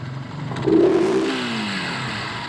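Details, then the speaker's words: Rider 150 Fi: quick rev leaves a dull metallic rattle that lingers and fades slowly after throttle closes; balancer was recently replaced, head previously opened, gear damage suspected. "so possible nga nito may tama yung gear kaya Gan yung tunog"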